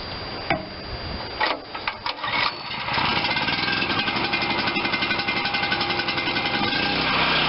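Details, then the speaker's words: Garage-sale Wen 4050 pull-start generator with new carburetor, fed by auxiliary tank to the carb, choke closed; a few handling clunks, then it starts first pull and settles into a steady, even buzzing run, sounding healthy. "first pull unbelievable sounds good too"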